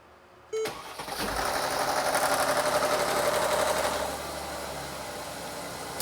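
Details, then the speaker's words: 2017 Mercedes GLS 450 3.0 L with P0016/P0011 and long crank before start, after repair: brief crank, catches almost at once, revs up then settles into a steady even idle; long crank fixed. "So, before it was taking too long to start. We had a long crank, but as you guys heard, we no longer have a long crank."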